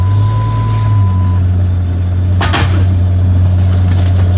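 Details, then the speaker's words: Jeep Grand Cherokee at idle, front wheel raised on a lift to simulate climbing a rock: one sharp bang as the broken sway bar end link pops out, a fault not visible at rest. "Did you hear that big bang? It was making that bang noise. But you see, this tie rod end pops out."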